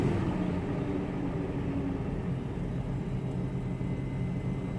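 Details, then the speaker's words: BMW X5 M62TU B44 V8 first start after timing chain and guide replacement, chains oiled before closing: smooth quiet idle, no chain rattle; normal idle. "oh wow that is super silent well I did actually sort of put a lot of oil on the chains and everything before you before I closed it to make sure that it's lubricated but that is surprisingly silent Wow"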